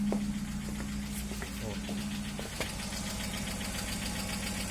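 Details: Hyundai Elantra HD, cold engine at idle, no catalytic converter: a light, quick ticking over the engine note from a hydraulic lifter not yet pumped up; it knocks cold and goes quiet once warm.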